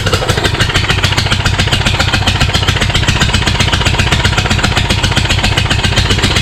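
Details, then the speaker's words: Kohler Courage 20 hp engine repowering a Craftsman YS4500 lawn tractor, cranked on sprayed parts cleaner with no fuel seen at the pump and no muffler fitted: loud raw crackling exhaust at a fast steady beat. Owner suspects a cylinder-head problem; cause unclear. "it sounds like it was kind of getting some gas right but i think something happened with the heads again because there's no muffler on there"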